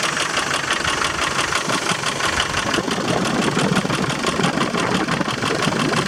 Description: Land rover Defender 300 TDI strange engine noise after timing belt change... loose timing belt? misaligned pully?